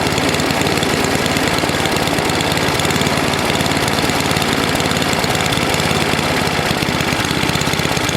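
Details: NOMA 8hp snowblower single-cylinder engine with the plugged gas line blown clear, warmed up for an oil change: a steady, even chug with no surging, misses or knocks. It runs normally.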